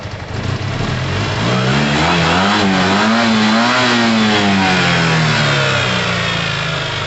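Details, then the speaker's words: Yamaha TMAX scooter after a carburettor clean, restarted after sitting 5-8 minutes following a slow first warm-up: a strong, clean rev climbs and falls smoothly with no misfire or rattle; the engine is healthy. "That sounds pretty naughty. Wow. It's a beast. I'm glad we let it sit for a while."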